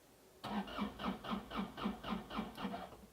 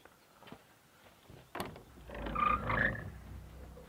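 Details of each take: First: Starter on a Daewoo Solar 035 3.5-tonne excavator, tested by running 12 V straight from the battery, cranks crisply at about four beats a second; starter works and the cable is fine, original fault not yet found. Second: Daewoo Solar 035 3.5-tonne excavator won't start: turning the key gives one sharp click, then silence with no cranking; owner suspects the starter solenoid and plans to check voltage at the starter.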